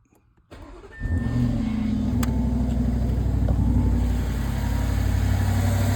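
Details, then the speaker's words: EA825 4.0T V8 cold start after installing the TSB-updated replacement part 0P2 103 211 H. Steady, even idle, with the high-pitched whistle heard before at cold start, tied to misfires at idle and low load, now gone. "And just like that, the whistle is gone and she's idling smooth again. Granted, it's still on cold start, but you could hear it on cold start before."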